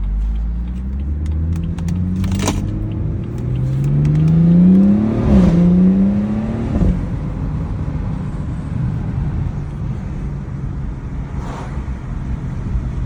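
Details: BMW 440i xDrive after transmission service: thin whine rising and falling with road speed over drivetrain hum; source unconfirmed, could be transmission or differential.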